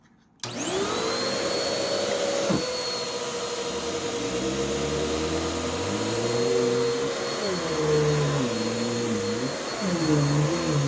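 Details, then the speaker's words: Bissell CleanView-type vacuum with cyclonic separation, about two to three years old, still on its original belt, running on a rug on the medium setting: motor whine sags and wavers under load as the worn belt slips, nearly stopping; it needs a new belt. "it still has its original belt on it because the belt almost stopped whenever it hit the rug on the medium setting so clearly it needs a new belt"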